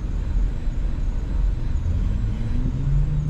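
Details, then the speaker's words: MINI Cooper on a test drive, battery voltage sagging from 13.2 to 12-something; deep uneven engine drone that wavers and sags as if about to stall; no fault code; owner suspects the fuel pump is heating up and shorting internally. Rough running. "out of curiosity I'm trying to keep the battery voltage up by accelerating it is a fuel pump I think it's a fuel pump guys"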